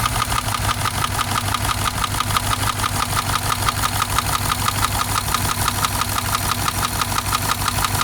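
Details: Subaru engine at idle: regular knock about three per second tracking the idle over the engine note; cause unknown, owner weighing repair or replacement engine.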